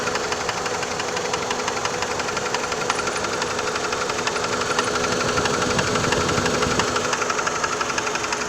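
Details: 2002 PT Cruiser at idle: a sharp, even knock about three times a second, steady throughout; the source is not pinned down yet.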